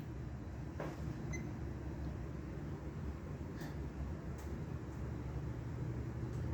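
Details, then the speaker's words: Vintage Norcold mini fridge with unusual Kawafuji Electric swing-motor compressor, powered up after dust cleaning: only a faint, steady low hum with no knocks or rattles; compressor running smoothly and quietly. "It's dead silent though. Once it gets going, you can barely hear it. That's impressive."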